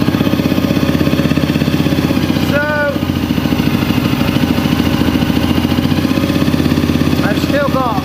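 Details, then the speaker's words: Honda CRF250L, warm, after replacing ECU-flagged parts: fast single-cylinder idle that sags and recovers, hunting on its own. Still blowing smoke with no further codes; cause unknown. "a bad idol it's a lot better than it was but it's still not right no it's still not right oh it's going off on its own"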